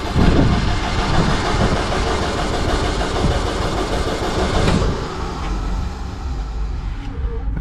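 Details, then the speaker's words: Welder/machine at auction cranked with starting aid: heavy starter grinds on with uneven chug, no exhaust and never catches; cranks but won't start, possibly needs glow plugs. "Maybe it needs glow plugs to start. We're getting no exhaust out of the"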